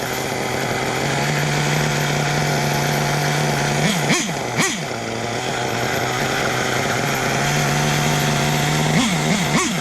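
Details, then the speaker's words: Small nitro RC engine buzzing at high idle during tuning, twice dragged down and surging back; owner suspects the clutch shoes are locking up momentarily; clutch bearings failed. "I can hear something. What the hell is that noise? Because there ain't nothing else moving. I bet it's my clutch shoes, because it's locking up. It's locked up for a second."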